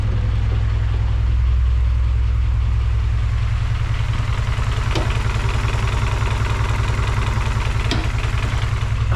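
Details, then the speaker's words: G23/H22-based Frankenstein engine with a K-series intake manifold notched for clearance, after hard starting with the TPS tripping: low, loping ~600 rpm idle, uneven beat, faint knock; rough idle, cause unconfirmed; possible oil leak at block plug above oil filter. "I don't know if this crap is still leaking oil or not it sound kind of rough though down here"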